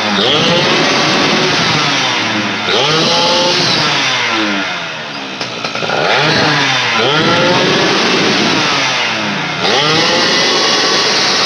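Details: Yamaha Fiz two-stroke that hesitated and fell off at high throttle from weak ignition, after ignition fix: crisp buzz climbs to high revs and drops back several times, picking up cleanly without stutter; ignition healthy.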